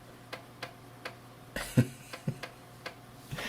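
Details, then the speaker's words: Macintosh SE/30 floppy drive formatting and writing a disk. Sharp irregular ticks, about two or three a second, over a faint low hum; the heads are stepping normally. "yeah so enjoy this is nothing but sitting and listening to the sound of a floppy drive clicking back and forth humming along writing those bits and bytes and actually doing something"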